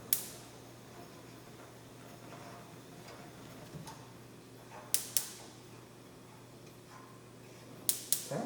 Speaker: if you hear that clicking noise that's the igniter that ignites the gas once you turn it off the ignite setting it goes away